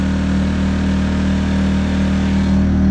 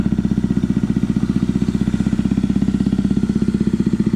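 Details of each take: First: Predator 2000 W inverter generator after the whistling, rough-running fix, with six screws re-tightened: steady, even low hum on eco throttle with no surging or misses. Runs smooth and healthy. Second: Predator 2000 watt inverter generator running rough: engine pulses unevenly about four times a second, choked, whistle-like sound instead of a smooth hum, caused by a badly clogged exhaust spark arrestor.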